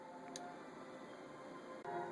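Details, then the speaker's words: MSP430G2553 circuit on a separate power supply, no launch pad, driving a relay for a 12VDC electromagnet as the pin cycles high and low: two sharp relay clicks over a quiet room hum; relay switching normally with no MCU resets. "It's running from a separate power supply, which it will be in the final project, and the relay is indeed switching, and we don't have any resetting of the MSP430, so it's all good."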